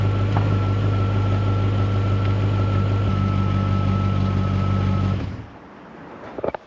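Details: Jaguar XK8 V8 bought as a no-crank no-start project, now running, battery at 12.8 volts: smooth, even idle with steady low hum and no knocks or misses until switched off; runs healthy.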